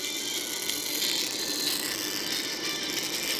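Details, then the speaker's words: Samsung Galaxy A50 phone: loudspeaker sound harsh, distorted and rattly with a tinny buzz on every note, speaker vibrating; shims and padding under or over the speaker didn't fix it. "Provavelmente você já deve ter se deparado com esse defeito após ter trocado uma tela com aro ou até mesmo ter pegado um aparelho que já chegou para você com altofalante roncando igual esse aqui ó som todo estourado vibrando"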